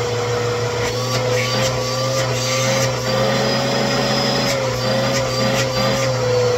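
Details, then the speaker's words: PowerForce Helix 2191 vacuum after washing and reassembly: steady even mid-pitched motor drone, no rubbing or flapping; fully working and smooth. "But, yeah, we got a completely working Power4 Helix 2191."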